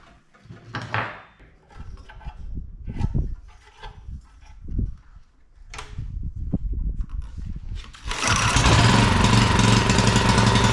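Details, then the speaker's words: $20 auction generator, pull-started with a rope wrapped around a loop: several pulls and clatter, then it catches and settles into a steady even drone; runs nicely. "it runs nice without the noise of the cter"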